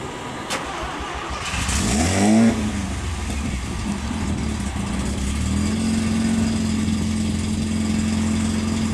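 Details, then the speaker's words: Mazda RX-7 GSL-SE (FB) first startup: cranks and catches quickly, revs briefly, then settles into a steady, smooth idle; healthy start. "Sounds good. Starts right up. It's a big guy."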